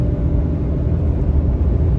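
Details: Ram 2500 on Kenda Klever RT tires at 28k miles, at about 72–75 mph: steady low drone and rumble with no engine rhythm; tread noise that grew as the tires wore, still plenty of tread left.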